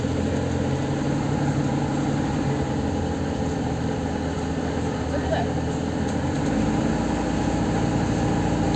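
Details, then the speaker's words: Lada Kalina 1 with LPG: the idle is raised on petrol, then after switching to gas it settles lower and heavier, about six seconds in; gauge reads about 500 where about 1,000 is expected. Owner suspects the idle-speed sensor, new spark plugs or the replaced fuel pump. "вот на бензе повышен вот включаю газ обороты падают до"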